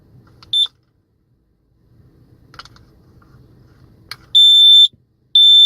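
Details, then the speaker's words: CO/smoke detector after a battery change, with a backwards-installed battery corrected: handling clicks, then loud piercing high-pitched beeps of about half a second each when the test button is pushed. Normal test alarm. "Okay, so it seems like it's working."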